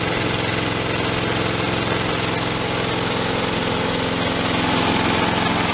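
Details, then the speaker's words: Craigslist mower, fitted earlier with a new starter rope and handle after a broken rope, started with the handle tied down: it holds speed with a lumpy, uneven beat of about three pulses a second, running a bit rough. "Well, a little bit rough. Still run."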